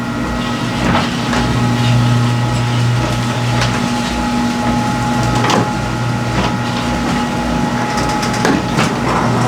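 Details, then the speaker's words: Garage door after all six old hinges were replaced with a Green Hinge system: the opener drones evenly with only light, spaced roller ticks and no rattles or squeaks, a smooth, quiet, normal operation. "so friends I kid you not the operation of this garage door has improved immensely by this garage hinge this green hinges system installed"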